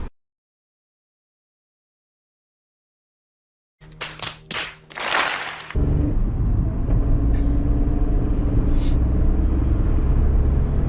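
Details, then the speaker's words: Seat Ibiza on road after replacing both wheel bearings (right earlier, left now), sport air filter fitted: after handling knocks, steady low road rumble with no growl or hum rising with speed; bearing noise gone, both old bearings were dead. "plus de bruit les deux roulements étaient morts bon on a trouvé"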